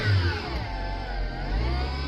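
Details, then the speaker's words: 2011 Vauxhall Zafira B with engine running: high whine shifting with revs; owner suspects worn manual gearbox bearings, gearbox to be replaced; gearbox whine. "So the issue is, already taken the battery out, and we've got to remove the gearbox and put another one in, because I think the bearings have gone on the gearbox, because it's got a proper bad whining."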